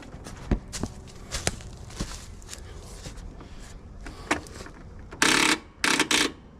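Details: Lawn mower: scattered sharp clicks with no engine cranking, then two louder bursts; clicking at the start circuit, suspected solenoid or loose battery connection, not confirmed.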